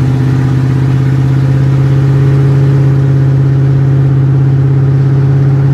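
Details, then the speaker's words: Chevy C30 V8, warmed to about 210, hard highway acceleration from about 35 toward 65–75: loud deep drone with uneven pulsing beat as the engine falters and bogs; cause suspected, not confirmed. "i started to sounds good for a minute but once i start getting real fast getting on it bringing the heat up it just goes way down to [ __ ] i mean it just drops off the face of the earth"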